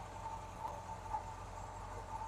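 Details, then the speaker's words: 1950 Chevy truck idling right after a power steering pump swap and new belt (alignment slightly off), system bled lock to lock: low, even idle with no belt squeal or chirp, no leaks seen. Normal idle, quiet drive belt. "the belt seems all right it's not making any noise steering works and doesn't no noise nothing weird so yeah"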